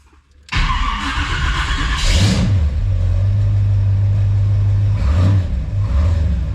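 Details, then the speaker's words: Chevy 350 small block (mini starter, erratic overheating) cold start after shimming starter and reconnecting wire at bell housing bolt: cranks briefly, catches into lumpy cold idle, slight gear chatter, less than before; owner wonders if starter alignment was the cause, earlier suspected cracked ring gear. "started is it my imagination or is it not as chattering when it was a bit quieter when it was cold so might definitely it's definitely not chattery like it was"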